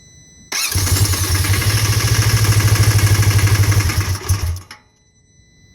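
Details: 2015 Polaris RZR 1000: engine fires and chugs roughly about four seconds, then dies; stalling and won't idle, fixed by replacing the faulty MAP sensor connector.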